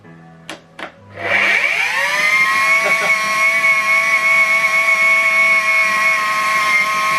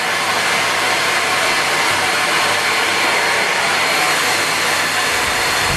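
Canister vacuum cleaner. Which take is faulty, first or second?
first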